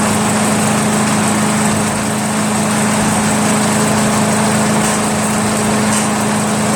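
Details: Craftsman chipper shredder flathead engine, restarted to confirm it works after head removal, carbon cleanup and a 320-grit sandpaper valve-seat job, holds a fast, steady buzz with no stumbling or dying; normal idle.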